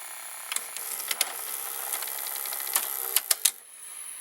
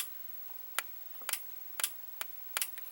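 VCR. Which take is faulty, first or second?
first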